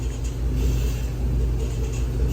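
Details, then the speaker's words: 3rd-gen Ram truck after fitting a new power steering pump: only a steady, low engine rumble with body creaks at full lock, no whining. The old pump's whine is gone. "so as you can hear I can turn full lock and there's no whining"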